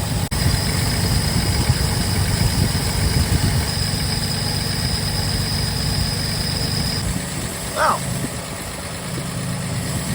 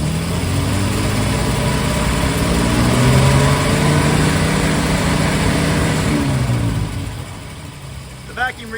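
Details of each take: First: 1947 Plymouth Special Deluxe convertible, twin carbs, dual split exhaust: low, uneven, loping idle after mixture screws turned in from one and a half to about one turn; running too lean. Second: 1947 Plymouth Special Deluxe convertible with twin carbs: smooth, even idle, steady low beat, 21 inches mercury vacuum front and rear; carbs well balanced.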